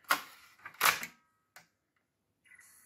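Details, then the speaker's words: AppleCD SC Plus external SCSI CD-ROM, sold as non-working, powered on after restoration work, loading a caddy with Mac OS 8. Sharp clicks and short mechanical whirs as the caddy draws in and ejects; mechanism working normally. "so i'm going to add a caddy with mac os 8 here well it's ejecting okay that's something at least the mechanism is still working"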